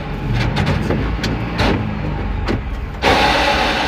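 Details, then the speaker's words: Mahindra Jeeto petrol: engine drone with irregular rattling bursts from the gearbox in third gear only, while first, second, fourth and reverse are fine; gear selector already replaced, gear sometimes engages. "लेकिन जैसे ही third gear डालते हैं गाड़ी में घड़घड़ा के sound आता है।"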